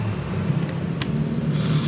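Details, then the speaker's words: Yamaha Vega (Python) motorcycle with AC ignition that won't electric-start, starter motor bench-tested grounded to the metal case with key on and starter button pressed: smooth, even whirr for a couple of seconds, no clicking; normal starter motor spin. "Benda itu berputar. Melihat. Oke. Besar."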